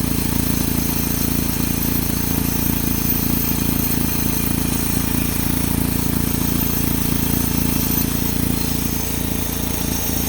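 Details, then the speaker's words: 2007 Saturn Sky, lean code suspected as a vacuum leak, idling: rough, regular rattle of two to three knocks a second from the exhaust. All three catalytic converter flange bolts were missing their nuts and washers. "so I went ahead and I let the engine cool down wait until the next day and I checked that that bolt in sure enough not only one not two but all three of the bolts on my catalytic converter we're missing the washers and the nuts underneath"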